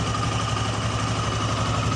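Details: Honda Scoopy FI scooter CVT after replacing the drive belt; the belt's contact area now sits fully on the rear pulley. Smooth, steady hum with a constant low note and no scraping or shudder; the earlier rough CVT noise is gone.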